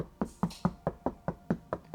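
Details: Toyota Yaris Cross rear door after full soundproofing (Silent Coat 4mm, multiple layers), door card off, rap test: short dull thuds about five a second with no ring or rattle; well-damped panel.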